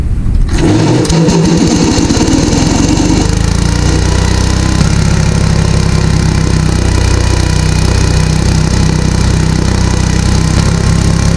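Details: Gravely garden tractor engine after 10 years sitting, fired right up once the carburetor was cleaned and its passages blown through. It catches, then holds a loud, steady high speed without settling, because there is no governor and only the throttle cable sets speed.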